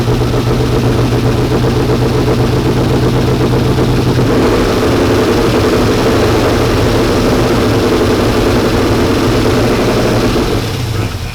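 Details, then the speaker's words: 1992 Ford F150 prerunner V8 after fuel pressure regulator set properly, fuel pressure about 55 psi, oil pressure 29–34, charging 14.6 V: smooth steady idle with even low rumble, no stumble or misfire; normal idle. "so legit runs way better with the regulator set up properly now we're just going to let it run for a little bit to get things worked in"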